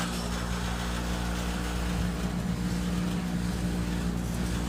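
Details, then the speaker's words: Carrier gas pack with a bad inducer fan, running at startup: loud deep hum with a fast uneven rattle of about three or four beats a second shaking the whole unit, heard badly inside the house; the inducer wheel is out of balance. "Rattles the whole unit. Sounds terrible inside the house."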